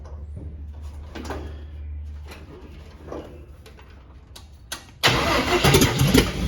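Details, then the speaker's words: Carbureted cab-over van conversion engine, fuel line run to a half-gallon can, battery getting weak. The starter cranks in bursts but the engine never catches; the pump is not delivering fuel, and the owner suspects a clogged filter. "anything yet not pumping any fuel if there's a filter in there that thing could be clogged up"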